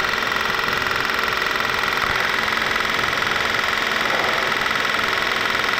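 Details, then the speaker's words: Honda Magna motorcycle, parked: electric fuel pump keeps ticking fast and evenly, about 162 per minute, after shutdown instead of stopping; pump suspected failing or its sensor dead. "maybe it wasn't stopping it just kept pumping maybe I have no idea how it's gone I should eventually stop pumping"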